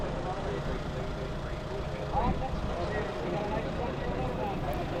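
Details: John Deere 7520 tractor after full oil change with synthetic oil and new filter: steady, unbroken low diesel rumble at idle with no knocks or misses; running great.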